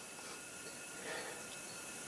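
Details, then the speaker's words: Leakdown test on misfiring 5.0L (305) GM Mercruiser, cylinder one at 90 psi holding 89: faint steady airy hiss of small normal ring leakage; sealing good. "you can hear there's a little bit of leakage they have you pull out the PCV valve and the dipstick so you can kind of listen but um but heck only being down to psi sounds pretty good"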